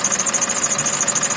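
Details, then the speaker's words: 2019 Mitsubishi Pajero Sport at idle: high thin squeal pulsing about eight times a second, likely not the alternator belt but an idler or pulley on the power-steering/air-conditioning drive; squeal at idle, exact source not pinned down. "сегодня стоит легко ветер александр и второе видео о том как свести уже похоже не ремень генератора какой-то ролик скорее всего какой-то от водой"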